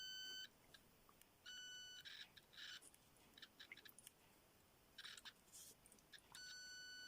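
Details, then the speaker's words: Homemade late-1980s pitch-indicating continuity tester across a 10 ohm resistor: short high bleeps with clicks between, nearly the same pitch as a dead short, as most testers would give. "well this is a 10 Ohm resistor which are most continuity testers would just give a straightforward bleep just the same as any other sounds pretty much short circuit doesn't it unless you compare that"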